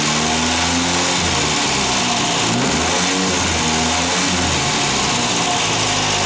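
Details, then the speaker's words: Ford Fiesta MK1 after replacing alternator bearings that caused a chirp: engine lifts gently off idle and holds steady under heavy hiss, no alternator whine or rumble, voltage about 13.62 V; normal light revving. "Le voy a acelerar un poquito y vemos si sube también el voltaje."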